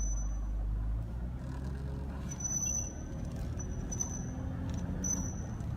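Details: 2010 Cadillac SRX Premium while driving at various speeds: a thin high squeak chirps on and off in short bursts over road rumble. It comes and goes, seems unrelated to the brakes, and sometimes occurs when turning the wheel; source unknown.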